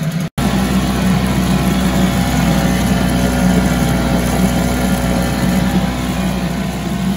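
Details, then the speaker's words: 1974 Mercury 4 hp single-cylinder two-stroke outboard with Thunderbolt ignition, warm restart without choke after 45 minutes: quick catch then steady even buzz holding speed without stumbling; runs like a top, normal running. "well folks there's nothing more exciting than here a run a motor run like it should runs like a top"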